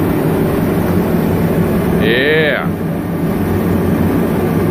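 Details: Dyna-Glo Delux 135,000 BTU diesel/kerosene forced-air heater, first run after unboxing with a freshly filled 10-gallon tank. A constant, even roar throughout with no surging or sputtering; fan and burner running steadily. Normal running.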